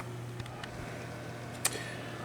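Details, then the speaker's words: Gaming PC with a five-year-old ThermalTake PSU, after fixing the hard drive cage behind the buzz: only a soft, steady low hum with a couple of faint clicks, no buzzing or rattle; running quietly. "So as anticlimactic as that may have been, it seems to have been what solved my problem."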